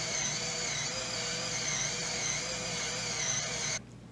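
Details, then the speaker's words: Waltron 3040 series colorimeter at start-up, reagent 1 pump run for 60 seconds to prime its line: steady high-pitched whir at constant speed that cuts off cleanly near four seconds, normal priming. "You hear the reagent pump adding reagent 1, and after 60 seconds, the reagent line will be primed."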